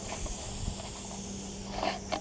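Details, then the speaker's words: Steady high hiss of air escaping through the tread of a fairly new tire after a small self-tapping screw is pulled out, with handling clicks around it: air leak from a screw puncture, before plugging. "puncture out it's a little self-tapping screw there you can hear the you can hear the air coming out"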